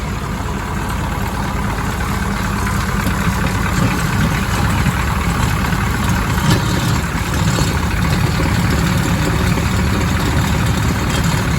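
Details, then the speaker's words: Diesel engine sitting unused a year or two, started with a battery and starting fluid: deep, even clatter at a constant idle with no skips or knocks, described as smooth as silk; normal idle. "You know what sucks is this engine runs better than the one I drive every day."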